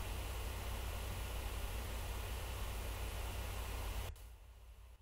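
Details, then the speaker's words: Laptop on an ice-cooled case, a couple of degrees cooler with fans running slightly slower: even airy rush with a low hum for four seconds, then cutting off; fans still running normally. "i could try and add more ice and less water to shave a couple of extra degrees but the fans would still be running"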